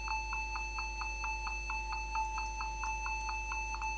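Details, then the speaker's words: Dell Inspiron N4010 laptop beeping continuously at power-on, about four or five beeps a second; keys not working, caused by a shorted keyboard that needs replacement. "it's beeping and irritating me every time when I turning on this"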